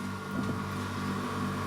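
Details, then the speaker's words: Chest freezer after regassing and leak check, now getting cold. Steady low compressor hum with a faint hiss of refrigerant boiling through the coil, frost line forming; running normally after the recharge. "yep you can hear it boiling a lot not much on the side"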